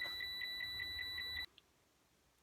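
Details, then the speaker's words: Citroen C1 fitted with an aftermarket reversing sensor kit, in reverse with a person beside the car: crisp high-pitched beeps about five a second, steady, then silence. Sensors are detecting correctly. "oh yeah so as you can hear now the detectors are picking me up sat right next to the car the lights on you can hear the beeping it's all good"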